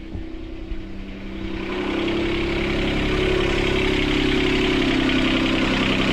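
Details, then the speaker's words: Sailboat port diesel just restarted, with water flowing, after repairing four engine mounts snapped by a log strike. Fast, steady idle, too high; the throttle cable bracket was bent when the engine jumped forward 3-4 cm. "So I have to adjust that. It's actually idling too high now."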